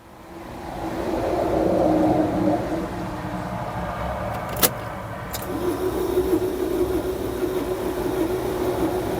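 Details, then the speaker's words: 2011 Peugeot Bipper diesel that overheated on the motorway, unstarted since, with a new battery fitted and glow plug light flashing: the starter whirs evenly without compression chuffs and the engine turns too freely and never fires. Something snapping is suspected. "sounds like it's free spinning too much"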